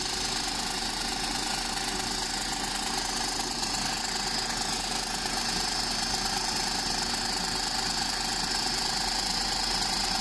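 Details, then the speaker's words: 2007 VW Golf GT 1.4 TSI twin-charged petrol (BLG), at idle: busy metallic rattle, progressively worsening, also when driving; caused by failing water pump / supercharger clutch assembly. "this is a noise that was progressively getting worse for the customer and it was becoming very evident at both idle and when test driven that this noise wasn't going to get any better probably going to get worse"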